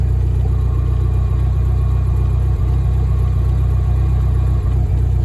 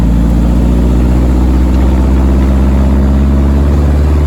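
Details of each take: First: VW-engined Deserter GT dune buggy idling with clutch pedal pressed: a faint constant hum over the low rumble from a bad throwout bearing, reused with the old clutch; it is replaced along with pressure plate and disc. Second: VW air-cooled Deserter GT dune buggy after replacing throwout bearing, pressure plate and clutch disc, test drive: steady, deep engine note, even beat, no rattle or bearing noise on clutch pedal; repair successful.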